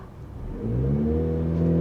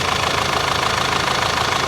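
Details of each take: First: Turbocharged Audi A5 six-speed manual with clogged catalytic converter, driving at full throttle: engine note rises, then flattens and holds at about 2500 rpm instead of climbing; in limp mode from exhaust restriction. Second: Turbocharged Audi A5 six-speed manual, bought broken from auction: even steady idle with smooth regular pulse, no knocks, misses or rattles; runs cleanly, though catalytic converter and turbocharger area found glowing.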